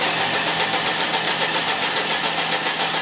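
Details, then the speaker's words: 2003 Ford Escort ZX2 2.0 with no start and no spark: even starter churn at about 220 beats a minute that never catches; no RPM signal from the floating-ground VRS crank sensor, which is being replaced. "okay any RPM signal nothing okay really disappointed that I cannot induce a voltage on a Ford it's just the way the circuit is monitored with the floating ground I just can't simulate that signal"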